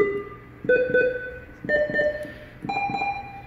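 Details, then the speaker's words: NIM 3 nerve monitor, four-channel procedure tested with simulator and sterile probe: four separate clean chirping tone bursts about a second apart; every channel answers, so probe, pendant and cabling are good. "so we know that the pendant is good all this cabling is good we know that the pencil the sterile pencil is good which is most important"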